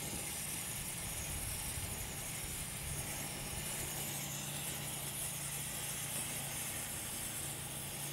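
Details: Stove preheated and run on kerosene (also takes unleaded gasoline or diesel), outdoors with a light breeze: steady, even hiss of vaporised fuel jetting from the burner as the flame cleans up; normal burner hiss.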